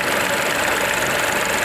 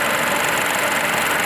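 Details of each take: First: Ford EcoSport 1.0 petrol three-cylinder at idle, check-engine light on and code P0301: uneven, lumpy idle with a stumbling beat and heavy engine vibration; cylinder 1 misfire, wiring to be checked first, root cause not yet found. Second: Ford EcoSport 1.0 petrol with a P0301 cylinder-1 misfire, rough idle and vibration, after the fix with AC on: even, steady idle with no stumbles, smooth hiss and hum, misfire and vibration gone.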